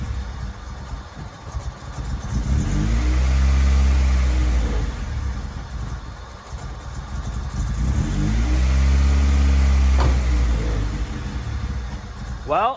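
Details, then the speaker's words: Honda Civic with B20 engine swap and new header, revs up twice and drops to uneven lumpy hunting idle, idled fine the night before; rough idle, cause not found. "unfortunately it still runs like it wasn't idling like this last night I was working fine"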